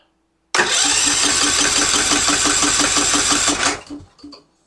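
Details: Yard-sale Husqvarna riding mower with Kohler engine, new Chinese carburetor, choke not fully engaging: starter cranks steadily about three seconds without firing; cranking normal and fuel pump delivering fuel.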